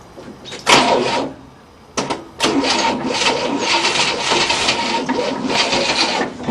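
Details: 1967 Cadillac not run in 30 years, new starter, booster batteries, choke closed and gas poured in, plugs were dry: starter churns engine steadily several seconds but never fires; cranking, no start.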